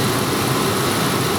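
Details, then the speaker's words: 1996 Lincoln Town Car with automatic HVAC, after repairing a bad solder joint in the HVAC head unit: engine running with the AC compressor engaged and cycling on pressure switches, 13 volts, smooth hiss, no knocks. AC now works normally. "I hear the compressor kicking on can go out and confirm that real quick have my 13 volts and there's a couple pressure switches so it's going to cycle I'm not sure which one it's cycling"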